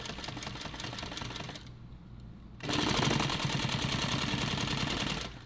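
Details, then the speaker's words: Sewing machine sewn on the night before and not yet oiled, running slowly on coyote nylon: a rapid dry, crunchy rattling clatter about three per second. Dry, unlubricated mechanism. "But I haven't oiled it. It's a little dry right now. It's kind of crunchy. You can kind of hear it."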